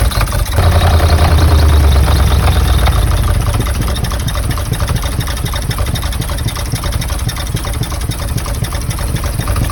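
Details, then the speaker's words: Cheap, heavily oil-leaking UK V8 as found at viewing: a deep, lumpy, misfiring idle at about four uneven pulses per second; the buyer and a mechanic suspect the engine skipped timing. "we deciphered that potentially it skipped the timing on the engine because when we went to view it it ran like this"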